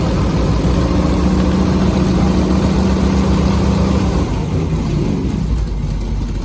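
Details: LS3 V8 airboat after new leaking gasket replaced and plugs done: even deep idle with smooth steady rumble, no misses or knocks; engine runs healthy.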